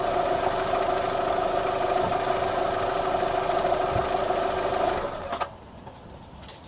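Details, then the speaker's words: 2001–04 Chevy Optra, engine running: quick, fairly regular clicking near four per second over a steady whir, traced to a worn, moving CV axle with a torn rubber boot, to be replaced; strut also clicks. "Right here. See this CV axle? It's worn, and it's moving."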